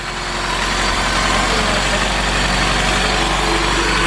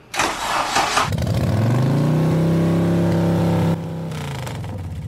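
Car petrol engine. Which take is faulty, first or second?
second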